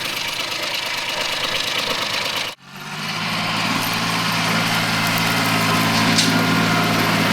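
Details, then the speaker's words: Mitsubishi MT200 Japanese diesel mini tractor after an engine overhaul, with run-in completed and no breather smoke, in the field while plowing. After a brief cutout it settles into a smooth, steady low chug with an even beat and no knocks; it runs quietly and healthy. "Зараз ще раз показую пасік. Супер. Шепоче двигун."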